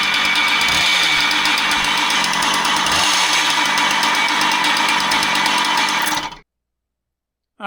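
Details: Husqvarna 130 chainsaw brought in for a noise complaint, run at high revs with the starter removed. A rough, rattly undertone persists until shutoff, which rules out the starter. The noise is internal, with the cause suspected but not yet confirmed.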